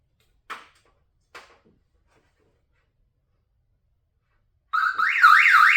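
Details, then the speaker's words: Long-stored Chevrolet 454 SS pickup: a couple of clicks, then a loud warbling siren rising and falling about three times a second as the alarm triggers when the battery is reconnected. "fob for the remote control because there'll be an alarm as soon as I connect the battery."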